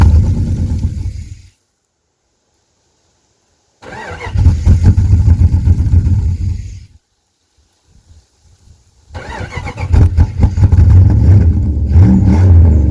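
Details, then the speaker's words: 1998 Jeep Grand Cherokee 5.9 Limited V8, first start after sitting about five years, cold, burning oil: catches in uneven bursts then runs lumpy and unsteady. Owner suspects many vacuum leaks and a missing MAP sensor. "I just have a crap ton of uh vacuum leaks in here in between this this which goes to that and then uh I forget what that's called."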